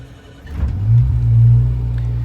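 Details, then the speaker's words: 1993 Sea Ray 330 Sundancer 5 kW generator, dead cold start with the bilge blower on and shore power off so the genset carries load. Short crank, catches and settles into a smooth drone putting out 120 V. Normal start and idle. "fired up right away. Few cranks. That's a dead cold start."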